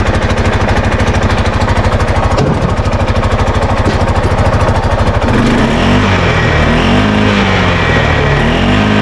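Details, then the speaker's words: Arctic Cat Prowler 500: loud, raspy chuffing at idle with a loose rattle, the note rising and falling with revs, from an exhaust leak and a very loose, rattling exhaust. "so anyway if you can hear it if you can tell there's an exhaust leak on this thing and it's super loud the exhaust rattles it's real loose"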